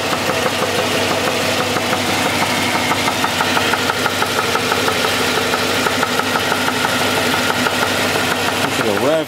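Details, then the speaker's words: Engine idling, heard from underneath the car with the accessory belt off: a fast, uneven deep bottom-end knock about two a second; owner says it is definitely a rod knock. "a little louder that's definitely a rod there's no doubt about it"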